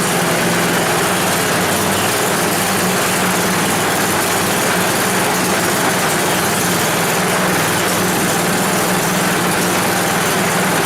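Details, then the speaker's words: 10 HP Tecumseh Yard Machines snowblower, long unused, first runs warming up: loud busy roar never settling into clean even beat; rough running, runs better on half choke, dirt in carburetor suspected. "it will run better on half choke which kind of means to me that there's a problem inside with some dirt or something in the carburetor"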